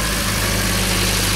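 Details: MG, freshly fine-tuned, idling: steady, even low hum with a smooth, unbroken rhythm, no knocks or ticks; runs cleanly, normal idle.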